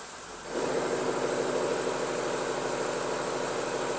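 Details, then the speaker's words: 2016 Audi A6 40TDI diesel with over 220,000 km: engine drops back to idle off the accelerator and a loose, uneven rattle rises over the hum. It quiets under throttle, confirming a worn dual-mass flywheel; worst when cold. "이렇게 가속을 하면 소리가 작아지고 다시 공회전 상태로 놓으면 이렇게 소리가 커지는 경우에는 플라이휠 소리가 맞아요."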